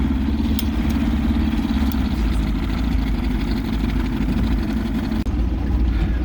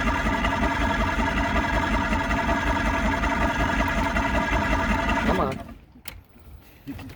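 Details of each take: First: Vintage barn-find boat's outboard on its first run in 20-30 years, idling on the water before the maiden voyage: steady, even low burble with constant pitch, no misses or knocks; normal smooth idle. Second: Vintage outboard boat motor, first start in about 20 years, on the lake with choke: fast even buzzing run for about five seconds, then cuts out abruptly; runs briefly then stalls, seemingly not getting enough fuel.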